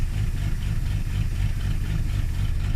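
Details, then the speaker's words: 1981 carbureted Ford Mustang, cold start in winter, accelerator held 10–20 percent: low, lumpy idle with uneven pulsing throb, stumbling and shaking; rough cold idle, owner suspects the carburetor, not confirmed. "because if you can hear that you can hear it it's not right and if i if i don't do this because i'm holding down my accelerator i'm not hitting it i'm holding it down maybe 10 20 percent i just feel that carburetor that that's what's causing this right now anything is"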